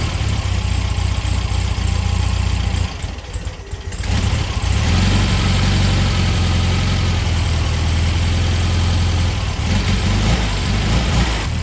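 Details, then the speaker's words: 1973 VW Beetle with a newly fitted oil breather filter and a newly installed clean carburetor: a low, lumpy idle that stumbles, nearly dies, then hunts unevenly. Rough idle; the carburetor needs adjustment. "start it up after we had the carb on there it's running not very good need some adjustments"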